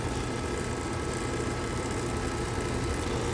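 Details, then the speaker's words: Fairly new AC condensing unit running: a steady heavy low hum, with strong compressor vibration carried along the suction line and into the wall, shaking a cap; the vibration is traced to the compressor itself. "So what could be causing the compressor to be vibrating this much? You see until you see this cap is moving."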